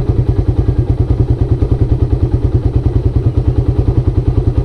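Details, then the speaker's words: Carbureted Suzuki Raider 150 at idle set below the 1,400–1,600 rpm standard. A slow, lumpy single-cylinder beat of about three per second with a loose clatter; the low idle is linked to tensioner noise. "kung totoo sa'yo, mababa talaga to. Dapat nandito siya sa gitna ng 1 and 2 So 1 and 2. So 1.5."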